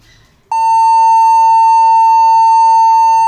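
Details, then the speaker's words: HP laptop powers on with power light lit but no display, giving one continuous long high-pitched beep from power-on with no code pattern; cause not yet identified. "यहां इस laptop से continuously beep sound हम लोग को मिल रहा है तो long beep हम लोगों को मिल रहा है"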